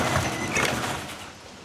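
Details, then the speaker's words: 20-year-old chain-drive garage door opening on its original hardware: irregular pops and snaps over a rumble as the rollers bind. Some of the noise comes from the opener chain drive, much from the hinges and rollers. "You can hear the rollers up here kind of popping and snapping. It just sounds like there's a bit of binding going on."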